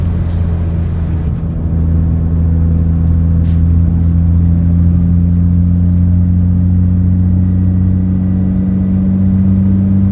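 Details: Mitsubishi Evo X buzzing noise: steady low drone holding constant pitch with a second buzz an octave above, unchanged over ten seconds; source of buzz unclear.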